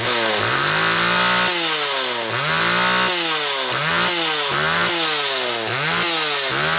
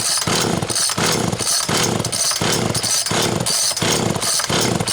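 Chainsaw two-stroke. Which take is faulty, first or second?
second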